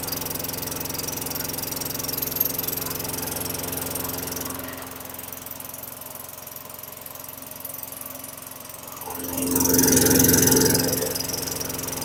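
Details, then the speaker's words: 2003 Craftsman mower (model 917.387360), Tecumseh 4.5 hp 148cc engine, running after fitting the correct smaller carburetor: steady, slightly slow beat, even exhaust note, no misses, then a short surge; sounds better, RPM a little low, running fine. "okay that sounds a lot better I wanna tweak the RPMs they're a little slow or low however you want to say it"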